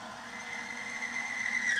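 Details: Timken bearing friction test on a power steering fluid, bare start-up condition: a thin, high squeal around 2 kHz swells for two seconds, then cuts off as the dry bearing scuffs and binds. The bearing smokes afterwards.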